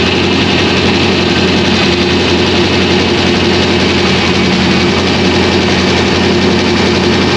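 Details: 2001 Trans Am WS6, 500hp LS1, first start since engine-dyno break-in, untuned with stock injectors and mass airflow sensor, GoPro audio: a loud, deep, steady V8 idle with an uneven loping chop, a normal big-cam idle.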